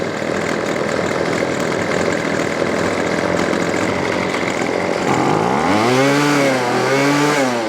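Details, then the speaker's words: Weedeater Featherlight SST25 25cc two-stroke trimmer: fast buzzy idle never drops, revs up and down; idle too high, head keeps spinning even with idle screw backed out. "That's it. This machine, unfortunately, is just going to stay spinning. And there's nothing we could do about it."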